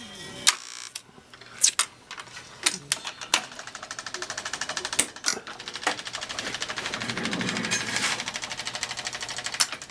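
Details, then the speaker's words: 1961 Seeburg AY100U jukebox during restoration, trip switch troubleshooting: on selection F6, clicks and clunks then a steady mechanical whir as the changer flips and plays the other side of the record properly. "See if it'll play the other side of the record. And it is playing the other side of the record."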